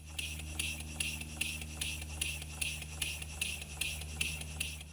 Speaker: i'm not going to claim this engine is perfectly tuned but it's running relatively evenly there's no clacking or rattling in the mechanism and you can hear nice soft compressed gas noises at each end of the stroke